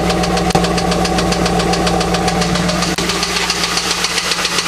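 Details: LS1 V8 at idle, a noise heard since the night it was bought: a sharp, regular bottom-end knock about three to four per second over the engine note; a spun bearing is suspected but not confirmed.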